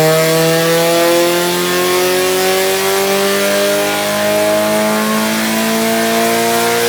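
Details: Nissan 180SX Type X SR with TD06 20G turbo, Nistune ECU and 3" dump pipe, on the dyno at full load and 15 psi (255rwkw, injectors maxed): clean, strong pull, note climbing steadily, no misses or rattles; healthy engine.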